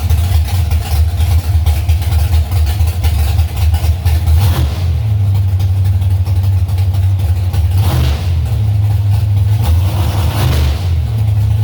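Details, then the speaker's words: Warming V8 held around 3000 rpm during carburetor adjustments, idle screws just backed out a quarter turn on all four: heavy lumpy note with brief dips and hesitations, a stumble or miss at about three grand; old plugs may be partly to blame. "well now it seems like i got something new could use a little bit more snot bogging is bad when it could put in gear but right at around three grand it's like a stumble or a miss or something kind of weird there"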